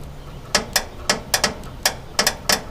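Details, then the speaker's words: Terex 17-ton boom crane on an International 4300 that sat two years, while installing wear pads and cable: sharp, crisp, uneven ratchet clicks. The clicking confirms it is hooked up the right way. "You can hear it clicking now."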